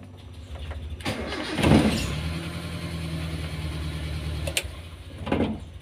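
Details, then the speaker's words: Car cold start in the morning, not yet driven (owner reports hard starting only when engine is hot): short crank catches at once into steady even idle, quick restart; normal cold start. "apabila mobil saya saya starter kalau masih belum jalan enak ya langsung kita starter sekali langsung menyala"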